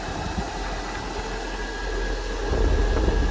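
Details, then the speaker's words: 12 V battery-powered parking air conditioner on a semi truck, switched to full fan speed: steady rushing airflow with low even hum building louder as the fan comes up; running normally. "So it's cold enough, and if I take it on full speed, you hear the wind sound."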